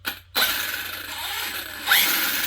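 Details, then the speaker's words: Arrma Kraton 6S EXB 1/8 RC truggy, new, wheels spinning free on stand; high-pitched grinding whine sharpening with speed; found pinion meshed too tight and diffs low on fluid: gear whine. "so you can hear it straight away I'll try and go slowly you can e it just there it sounds almost like there's some something grinding or but it's very high pitch"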